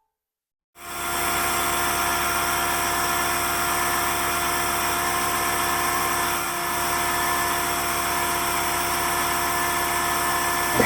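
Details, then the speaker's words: Husky 33-gallon air compressor C331H after pressure switch replacement, air drained via sander: after short silence motor kicks on with steady even drone and fine pumping chatter; normal cut-in. "I'm going to disconnect my mic that way you can hear the room noise and hear when this thing kicks on"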